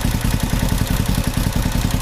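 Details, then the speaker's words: 1970 Honda CB450 twin after gasoline leaked from petcock left on reserve into engine oil, foam air filter fitted, engine warming: crisp even firing as it revs and settles, no misses or rattles; normal revving, runs great. "Let's see if it revs up okay. I would say that it runs great now."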